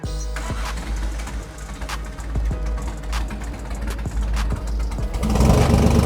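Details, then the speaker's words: Rebuilt PMO carburetors on a Kraftwerks Porsche 917 replica race car, left throttle being worked: lumpy, uneven, shaky running with irregular stumbles and a wavering note; carburetors not yet balanced. "You can hear there, I'm running the left throttle. You can hear that it doesn't run too good there."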